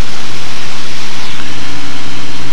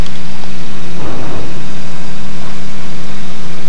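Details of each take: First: RV7 on an engine run-up into the wind at 2,000 RPM, read on a Dynon digital tach, engine warming up. A loud, even propeller drone holds constant with no misses or surging. All gauges are in the green; a normal, healthy run-up. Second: RV7 idling while taxiing onto the runway before a high-speed taxi test. An uneven, loping idle comes with a couple of soft pops over heavy prop and wind noise. It is a slightly rough idle with a tiny backfire, which is soon under control.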